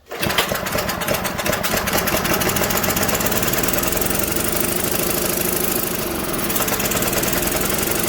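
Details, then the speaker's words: Old Tecumseh-powered generator revived after years outdoors in rain and snow, earlier likely flooded from spraying; now running with choke fully off, steady even single-cylinder drone, no misses or knocks, light smoke burning off residue; normal running. "Looks like we're doing alright. Just running with all the choke off. Not smoking too bad, burning all sorts of crap off there."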